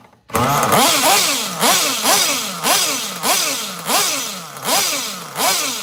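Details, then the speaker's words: Bench run of a nitro engine with a tune still off, needle maybe about half a turn out. Revs rise and sag in a slow surge about every two-thirds of a second without clearing; running super rich, spitting fuel out the side. "That thing is rich as hell. Super rich. I mean, it's just pissing fuel out the side of this thing."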